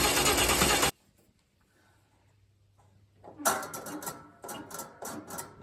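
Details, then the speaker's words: Holden Torana after manifold reinstall, battery just connected, first start attempt: short loud burst, a quiet gap, then uneven cranking pulses that never catch; turns over but won't fire, no fuel yet. "Yeah, no fuel yet."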